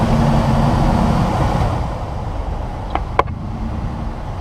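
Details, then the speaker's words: 2006 Ford Expedition with a newly replaced AC blower motor stepping down from high (15–17 A) to speed 2 (about 6–7.5 A) and speed 1 (about 4 A): smooth fan rush eases lower and quieter, no grinding or ticking, runs steadily and normally. "okay now i just dropped down to six seven and a half amps okay that's the number two speed around that like four amps number one speed and look this thing is steady going at one"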